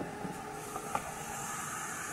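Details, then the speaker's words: Renault Scenic 1.6 first start after water pump, timing belt, spark plug and oil/filter change, coolant not yet filled: steady even tick-over with light hiss, no knocks or misses, some smoke burning off; sounds okay. "this is gonna smoke a bit from the engine because they do actually sounds okay already now"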